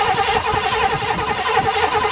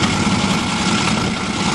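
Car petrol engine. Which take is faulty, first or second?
first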